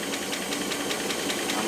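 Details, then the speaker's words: Rolls-Royce Silver Cloud III, towed in for fail-to-proceed, running after coil/points work: light regular ticking about five per second over a quiet idle; tapping very common on these, usually but not always hydraulic lifters on the cam, may go away in time. "that tapping will that go away in time depends on the engine it should yes very common for these and that tapping is usually not always just lifters"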